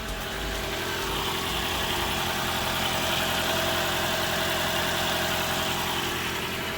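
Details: 2012 Toyota Camry Hybrid, petrol engine idling: steady, even hum with no knocks, misses or surging; runs smoothly and healthy.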